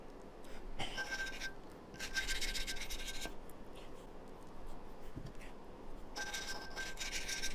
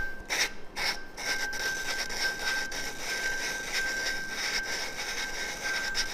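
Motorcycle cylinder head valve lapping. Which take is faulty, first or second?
second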